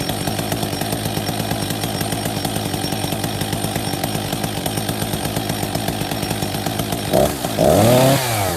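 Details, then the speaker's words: Husqvarna 262 XP after new clutch drive sprocket and bearing, decompression valve replaced: steady two-stroke idle with the chain audibly dragging round, then a quick blip; the chain keeps moving at idle, clutch stays engaged. "It controls the idle speed, just to show that no matter what, the chain keeps moving slowly."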